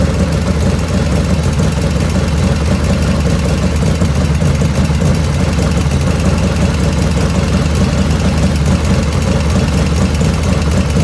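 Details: 1985 Harley FXR V-twin at steady warm idle after a float setting, about 49°F ambient: light, quick ticking over the exhaust beat grows as the oil warms; owner blames the S&S hydraulic lifters, not oil restriction, with the rear intake lifter noisiest.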